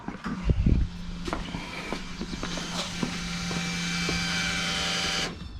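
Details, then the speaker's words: 1981 Camaro C-Prepared autocross car after Holley HydraMat install to fix fuel starvation: fuel pump switched on before starting, steady low electric hum then clean cutoff; system pressurized, no leaks, normal pump operation. "So fuel pump's on, system's pressurized, no leaks."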